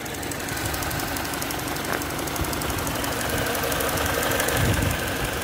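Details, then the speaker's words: 2009 Mini Cooper Mayfair 50, 1.6 petrol fuel injection, six-speed, 47k miles, full service history, idling; even steady idle with light regular valvetrain tick, no knocks, rattles or chain noise: normal idle. "as it should be very clean no unwanted noises"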